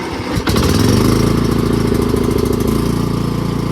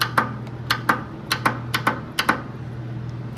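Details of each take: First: Cub Cadet lawn mower, non-running, that only needed gas: fires up quickly and settles into a steady, even low drone with no misses, running normally. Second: Lawn mower that will not crank: the starter solenoid gives sharp dry clicks a couple of times per second but the starter never engages; the owner suspects a wiring break and plans to replace the solenoid.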